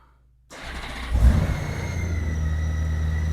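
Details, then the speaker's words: 2008 Honda GL1800 Goldwing after new battery (12.88 V) and synthetic oil change: brief crank, catches at once and settles into a smooth, even idle; starts much faster, charging 14.66 V. "Well, that starts up much faster."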